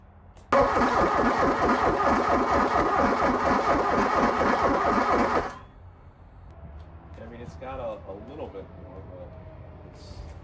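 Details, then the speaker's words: 1987 VW Scirocco 16V, sitting over 20 years: slow even chugging for about five seconds, then it stops and never fires; owner says it cannot spin decently; slow cranking, no start, cause unconfirmed. "just doesn't seem like it's got enough uh to uh get that spinning decent"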